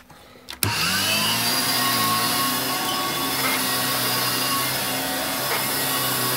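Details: Electrolux 612E (600 series) upright vacuum, about two years owned, after fitting a new Qualtex brushroll, on lowest carpet setting: steady high motor whine with clean even tone after spin-up, no rattles or chatter; brushroll running smoothly.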